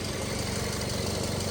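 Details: 2012 Toyota Yaris idling with headlights and AC on, new reman alternator: smooth, steady low idle with even firing and no belt squeal. Charges 13.8 V under load versus 12.4 V with the old undercharging alternator, so healthy.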